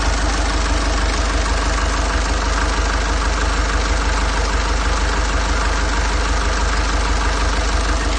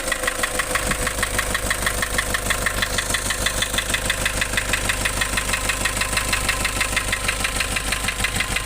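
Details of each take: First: Nissan Urvan Estate ZD30 E25 diesel after replacing the knocking engine block assembly: steady diesel clatter at idle, about three even beats a second, no heavy knock; normal idle. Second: Nissan Urvan Estate ZD30 E25 engine knocking replaced engine block assembly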